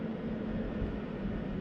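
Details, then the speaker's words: PECRON E2000LFP/EB3000 power station at about 1000 W in and out, system warm: steady airy rush with even fan hum, cooling fans speeding up from about 30%; normal operation. "listen how quiet that is I mean you could barely hear the fans are like maybe I don't know maybe 30% on if if I could guess oh here see now they're they're speeding up a little"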